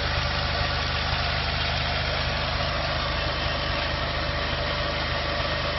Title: VW 1.9T first proper run without misfire :)